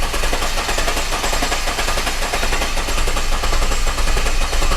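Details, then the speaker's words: 2009-2010 Jeep Cherokee 3.7 L V6, hard start and rough running, cranked in clear flood mode with accelerator floored: fast rattly cranking with an uneven beat, one stroke lighter each cycle; low compression on one cylinder from a leaking intake valve. "listen to that cranking straight away there is sounds like um yeah it's it's got some mechanical problem because the engine is not cranking it's not consistent"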